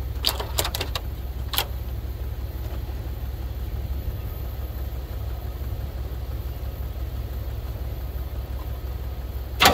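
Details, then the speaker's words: 1980 Pontiac Trans Am Turbo 301, after sitting about 18 years, started with fuel poured into the carburetor bowl: a few sharp clicks, then it catches and holds a steady low rumble for several seconds. The engine starts and runs on carburetor fuel. "well it certainly wants to run I play with the throttle a little bit inside it'll fire up I wonder if it just means a little bit more of a drink"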